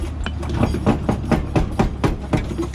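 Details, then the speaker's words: Mazda RX8 on jack stands, rear wheel rocked: hollow clunks about four a second, the noise heard while driving; rear suspension bolt missing, suspension not attached, causing the camber; rear suspension clunk. "this is what i've been hearing when i'm driving oh dang [Music] oh man that that bolt is out suspension's not even on"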